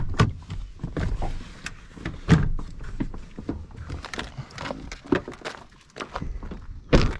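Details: 2006 Honda Ridgeline, door locks cycling during remote programming after ignition cylinder repair: scattered dull thunks and weak clicks from the door, no clean latch stroke, the lock actuator is failing.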